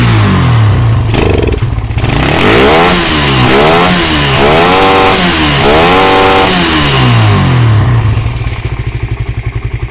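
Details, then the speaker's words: Suzuki Satria FU that would not rev with an aftermarket Fukuyama regulator/rectifier, now fitted with an original Suzuki Smash kiprok: blips cleanly from idle through several quick revs and settles back with no stumbling. "ini kipr Smash yang original Ya ini yang ori motor bisa normal kita coba ya"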